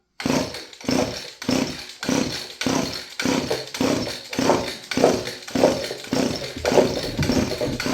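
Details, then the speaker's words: Roughly 30-year-old Stihl FS56 curved-shaft two-stroke trimmer on its first start, high-speed start setting: it surges up and falls back about twice a second, never settling to idle. Owner suspects a gummed carburetor and sticking throttle cable. "Carburetor gummed Now up. that throttle cable's sticking again. She's trying. Well, it runs."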